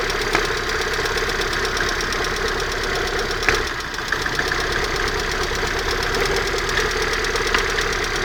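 Fast, even light ticking rides over a steady idle, a persistent knock from around the exhaust manifold, cause not yet pinned down.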